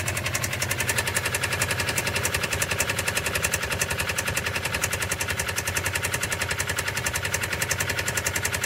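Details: Subaru Impreza STI engine: sharp rapid evenly spaced metallic knocking over idle, loud and steady throughout; internal engine knock, cause unknown.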